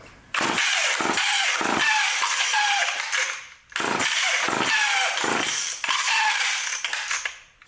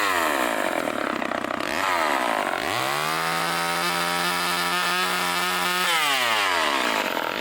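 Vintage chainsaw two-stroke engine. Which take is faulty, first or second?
first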